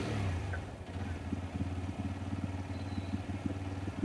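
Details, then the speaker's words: TVS Raider BS6 single with a missing problem, idling with fuel pressure near 50, which is judged fine: ragged, uneven idle with loose clatter that never settles, and it later dies when revved. "लेकिन stroke देखिए, अभी भी stroke कम ज़्यादा unstable है, और stroke अभी भी stable नहीं हुआ।"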